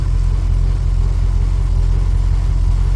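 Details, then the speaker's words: Ford BA Fairmont V8 after timing chain replacement, just restarted: steady smooth low idle rumble, previous continuous tick-tick rubbing gone at idle; normal idle after repair. "It's not making the sound on idle. It was continuously going like tick tick tick tick tick tick rubbing."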